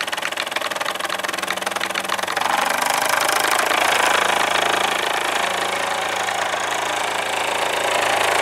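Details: Model steam engine test-run on the workbench from a garage air compressor at about 25 psi: quick, even chuffing at about three beats a second over a hissing air supply; the small engine runs freely and steadily.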